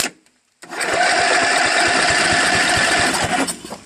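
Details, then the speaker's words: Craftsman LTV10 lawn tractor, carburetor freshly cleaned and installed, points magneto replaced with Briggs armature coil, jump pack, makeshift tank: even rapid cranking with steady compression pulses, never fires; no spark suspected, plug found wet. "well it cranks which is good and turns but I don't think there's any spark"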